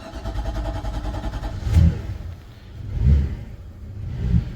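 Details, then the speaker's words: Cold-started boat V8 5 L MPI engine (injected, no carburetor priming) at idle: deep rumble with a slow surge about every second and a bit, cold-engine hunting expected to stabilize shortly; normal cold-start idle. "silnik zimny łódka chodzi jeszcze tak dość dziwnie tu jest mocny silnik bo to jest silnik V8 5 l MPI on za chwilę ustabilizuje swoją pracę"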